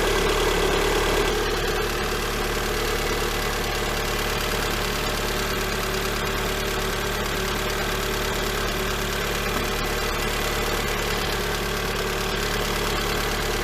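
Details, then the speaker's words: Lada Granta 126 engine idling after full rebuild (bored block, new bearings, 82.5 repair pistons, new timing kit, valves): steady light ticking knock about three beats a second, cold and hot. Teardown found a seized, scored hydraulic lifter. "Вот такой вот стук на холодную и на горячую. Сейчас будем разбирать. Непонятно откуда."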